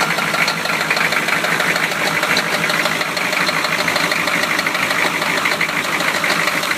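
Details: 1993 Chevy petrol engine idling: rapid, somewhat uneven knocking, rod knock.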